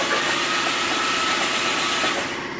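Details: Nissan 350Z after being fixed from hydrolock: loud, raspy exhaust at a steady idle with no misses or knocking; engine running normally.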